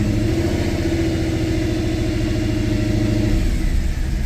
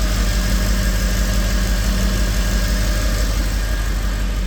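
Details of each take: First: 2010 Mercedes E63 AMG, M156 6.2 L V8, codes just cleared, held at 1500–2000 rpm: uneven, stumbling exhaust beat and check engine light returns; likely still misfiring on bank 1 despite coils and plugs done; owner plans to swap injectors. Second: Mercedes E63 AMG V8 that broke down with bank 1 misfires, restarted after codes were cleared and timing and cam lobes checked, in a New Hampshire winter: ran rough for a second, then a steady, even V8 burble with no stumble or miss; normal idle.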